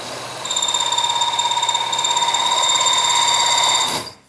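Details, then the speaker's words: Press rounding-die machining: shrill, steady, fast-pulsing electronic over-torque protection alarm that cuts off abruptly; reset by backing off until it spins free with the machine off. "And there's the over torque. I wanted to show you how that works."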